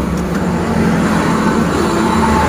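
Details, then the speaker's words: Honda Beat DX (2020-2021) scooter CVT after reassembly with rollers and V-belt, rear wheel spun: steady, even low hum with faint bearing whir, no knocking or crackle; earlier rough grinding noise gone, normal bearing sound. "Untuk putaran sudah halus ya. Ini bunyi wajar, bunyinya laher dan juga laher bambunya. Yang penting sudah tidak seperti kretek-kretek ya teman-teman."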